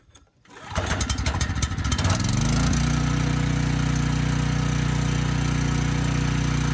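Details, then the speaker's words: Briggs & Stratton Storm Responder generator (engine 21T212-0116-G1), repaired after being stuck at TDC, final test: it catches quickly, then settles to a steady, even drone at governed speed. Speed was slow and was raised to 61.5 Hz. Normal running. "all right this thing started right up and it sounded pretty good the engine speed was slow so i bumped that up to 61.5 hertz"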